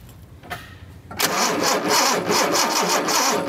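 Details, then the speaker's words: 1976 Datsun 280Z fuel-injected engine: starter cranks steadily, about three compression pulses a second, no firing; no spark on the tested cylinder, spark plugs to be replaced next. "spark okay again we do not have spark on this cylinder"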